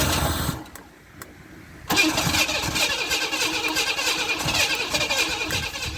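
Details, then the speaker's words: 1991 Camaro 3.1 L crank-no-start after replacing the corroded distributor ignition module and rotor: quiet spell, then steady starter whirr with rhythmic cranking pulses, never fires; only hits on starting fluid, so fuel pressure is suspected next. "Alright, so we've got to hit and fire off some starting fluid."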